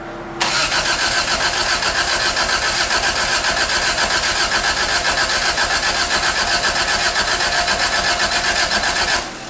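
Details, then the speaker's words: 1985 Toyota Tercel after engine work, cranked with the distributor unplugged to build oil pressure and fill the float bowls: steady starter churning at about four beats a second for nearly ten seconds, never catching. "this is just cranking oil pressure building first and fill the bowls"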